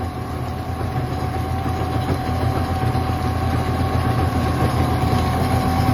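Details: 1995 Yamaha Wave Venture after no-start fix: steady low engine drone with slightly uneven pulse; runs on its own, idle needs a small adjustment; normal running.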